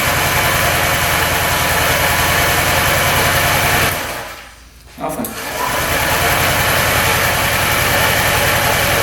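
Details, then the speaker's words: Non-running 2018 Honda Ruckus scooter, started after checking the spark plug boot: it runs very quietly but unevenly at about three and a half beats a second, stumbling and nearly dying before catching again. Rough running. "Run barely. There we go. Thing is quiet. Holy cow. Barely hear it run. It's not running the greatest, is it?"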